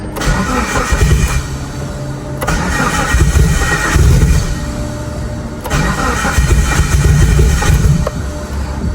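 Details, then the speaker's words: Big-turbo Mitsubishi Evo at first start on the dyno before tuning (small leak at a screw noted): cranks, fires, then stumbles and surges without a steady idle, rough misfiring; tuner stops to avoid fouling plugs rich, suspects injector settings in the tune. "Oh, no. It's not happy at all. It's not happy at all. Let me stop before I get this car rich the plugs."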